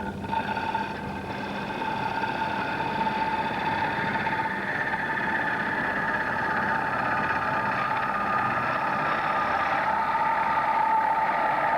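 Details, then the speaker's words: Woodturning lathe hollowing a bowl: hum and cutting hiss turn to a harsh buzzing chatter late in the cut as the deeper bowl lengthens tool overhang, making it hard to keep the heel against the wood. "Now, Roy, you hear that chattering noise that I was getting towards the end. Obviously, as the bowl gets deeper, we get a longer overhang from the tool, and it gives us more problems to try and keep the heel against it."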